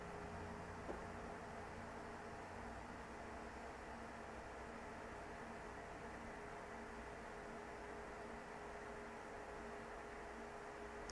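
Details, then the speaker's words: Dell PowerEdge R610 server at no load after replacing the front I/O board with its failing ambient temperature sensor (had read 40°C falsely): quiet steady fan whir, about 60 dB versus 74 dB before, normal low speed. "right now basically it's reading about 60. and so that's about 14 decibels lower and all I did was basically replace that sensor"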